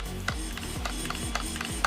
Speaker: so that's the steering servo making that noise so that works